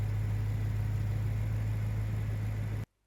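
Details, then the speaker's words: Own BMW M3 bought broken from Germany, oil change due: steady even low idle hum, no knocks, ticks or misses, then clean shutoff; normal idle. "As you can hear, it runs very well, and as you'll have heard in other videos, it runs really well."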